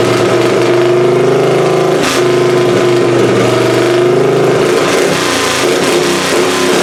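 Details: Plan B pulling engine on methanol, first fire-up of the season after a new annealed head gasket and timing adjustment. Loud, even roar rising and falling under throttle with no knocks or misses. The head gasket seems sealed, and the carb still needs tweaking.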